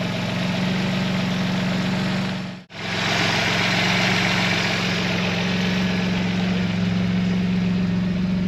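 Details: Vauxhall Calibra 4x4 from the 1990s, converted to a 2.5 V6, belts and oils all freshly done: smooth steady low hum with an even beat, no knocks or ticks; normal healthy idle.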